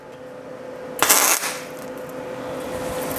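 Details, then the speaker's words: MIG tack weld on 1939 Hudson Terraplane rat rod cab, shielding gas left off: short harsh spattery, popping crackle instead of smooth sizzle, then steady hum; welding without gas. "do you hear that noise I didn't open the gas well done Duffy"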